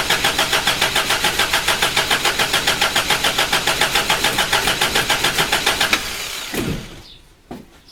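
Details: Toyota Hilux first crank after body swap: even starter churn at about three and a half turns a second for six seconds, never catching; spark present, owner suspects little or stale/evaporated fuel.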